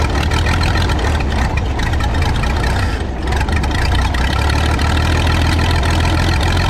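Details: Michigan 35A wheel loader's old flathead, revived after sitting in weeds (broken spark plugs removed, compression restored, a cleaned connection made it run better): deep low steady idle rumble with one brief dip near three seconds; runs smoothly.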